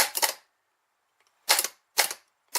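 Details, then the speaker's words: 2002 Chevy Malibu starter, removed and bench tested with positive and ground after a no-start: four sharp metallic clacks, solenoid pushes out but the motor never spins; starter is bad. "it should be spinning not just going click click click click that's what was happening when she and she was trying to kid always doing this going out that's telling you yeah starters bad"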